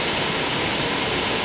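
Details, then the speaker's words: Dodge Caravan after rear AC evaporator repair and recharge, cold engine; rear blower on with AC, steady even rush of air, no rattles or whine, vents at about 47–48°F, no leaks; normal airflow. "Alright, so we got the fan blowing. You can hear it blowing in there. Got the air on, and it is blowing about"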